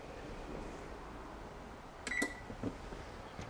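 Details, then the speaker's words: Electric range oven control board after repairing a burnt, corroded relay connection: a short keypad beep, then soft clicks as the big black relay pulls in on start, which it did not do before the repair. Normal relay operation. "so I'm feeling that relay trigger now and it wasn't before"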